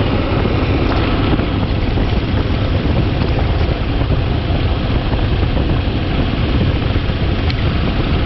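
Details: 2011 Toyota Tacoma 4.0L V6 just after serpentine drive belt replacement: steady low, even hum with no squeal, chirp or knock, so the engine idles smoothly on the new belt.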